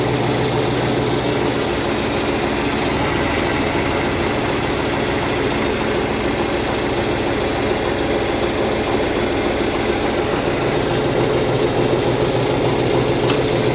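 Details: John Deere 4020 diesel tractor after clutch replacement and split reassembly, shifted from park into gear: steady chug about three and a half beats per second, no slipping, grinding or chatter; new clutch engaging cleanly, normal running.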